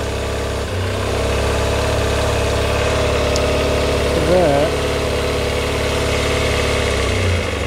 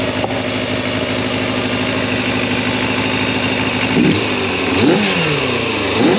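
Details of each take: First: 1990 Kawasaki ZX250 after rebuild, cold on partial choke, with one slide swapped between carbs to test: it catches into a slightly uneven, wavering idle. One carb's vacuum slide bounces and wobbles, unsettling the idle. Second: Fully rebuilt 1990 Kawasaki ZX250 four-cylinder at operating temperature after carb balancing: a smooth, even idle, then three quick clean blips that rise and settle without stumbling. The carbs are balanced and it runs healthy.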